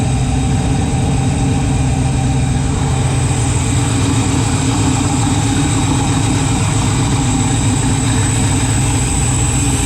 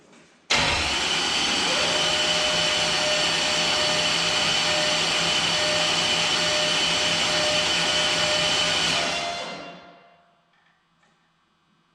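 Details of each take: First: Freshly built 408 stroker LS in an S10, first start in park on a new tune: deep lumpy V8 idle sitting noticeably low and slightly uneven; rpm low, new wideband O2 acting up, cause not pinned down. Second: 408 stroker LS engine in an S10, newly installed after bent-crank repair: starter cranks it over with an even high whir for about nine seconds, checking for oil pressure after fuel system priming, no fuel leaks.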